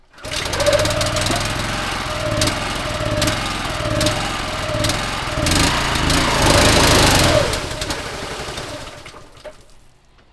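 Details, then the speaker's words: Petrol pressure washer engine reproducing the fault: speed rises and sags every couple of seconds then dies; surging and stalling. "So say if it's stalling, Yeah. whilst you're pulling your trigger, if you were to let go of the trigger, what would it do? Would it stall?"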